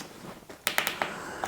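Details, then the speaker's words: Replacement push switch for a faulty Dynamic Sounds wireless doorbell transmitter (presses not reaching the two receivers), tested before fitting: five or six sharp, clean, even clicks with no scratchiness, far better than the old switch. "But the good thing is it sounds, if you can hear that, it sounds absolutely fantastic compared to the other one."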